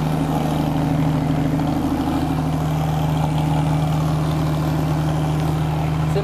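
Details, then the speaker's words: Flat engine, open bank-by-bank exhaust that doesn't join: loud, deep, even idle with steady burble and no knocks or misses; healthy engine. "marrant comment ça change le bruit d'un flat standard. Ah ouais. Parce que là quand... En plus c'est banc par banc, ça se rejoint pas."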